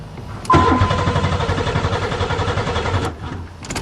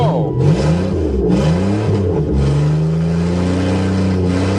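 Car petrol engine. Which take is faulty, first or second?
first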